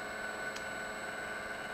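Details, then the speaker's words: Danfoss high-pressure misting pump after rebuild, running at 35 Hz: steady even whine with constant high tone, no knocks or surging; running quite smooth and healthy. "we'll turn it on here and we got 10 Hertz on it and there it is that you know at 35 hurts you know it's raining quite smooth with it"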